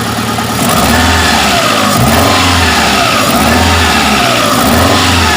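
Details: Chery QQ 311 gasoline engine: uneven, lumpy revving with a stumbling beat underneath instead of a clean, steady pull. Engine misfire.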